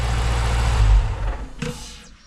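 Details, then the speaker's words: 2010 Dodge Challenger SRT8 5.7 L V8 just after a Volant cold air intake install: strong deep rev falls back cleanly to a steady low idle. A slight backfire came on the first start; now normal, smooth idle and revving. "Yeah, sounds good. Seems to be running smooth, so time to get out on the road and give it a test run."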